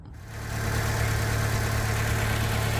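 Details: Fiat 500 that would not start now catches within half a second and settles into a smooth, even idle with a steady low hum and no misses, after wobbling a loose small ignition wire to the starter solenoid; normal idle.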